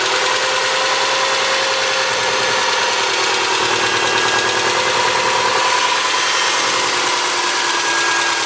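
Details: 2003 Subaru Forester, 178k miles, ~150 miles after head repair for a dropped valve guide, cold start: quick light ticking over hissy idle from the driver-side front cylinder; exhaust valve clearance .029 instead of about .010, adjusted and the noise was gone.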